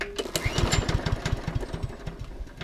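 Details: Small single-cylinder mower, fresh fuel, choke on: uneven spluttering pops fading and dying within three seconds; fuel tap turned out to be off, carburetor also suspected.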